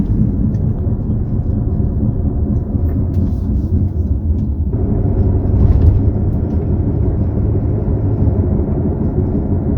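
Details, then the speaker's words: Driving with worn wheel bearing: steady low whirring hum under road noise; slow speeds give rhythmic whoop-whoop, rising speed turns it to a howl or hum, deafening when badly worn. "So what you'll hear at slow speeds is whoop, whoop, whoop, whoop, whoop, depending, how bad the bearing is. And then when that increases speed, it will turn into like a howl or a hum, and it'll be a deafening hum if the bearing gets quite bad."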